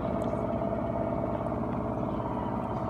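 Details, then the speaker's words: Whirlpool Duet front-loading washer on its high-speed spin, door locked, eight minutes left, top speed around 1150 rpm, held back to spare the motor; steady, even whir with no thumping or banging, drum balanced, normal spin cycle. "it spins like very fast but not that fast because because because i don't want to burn the motor down because of the malfunctions so it spins fast but not but not too fast"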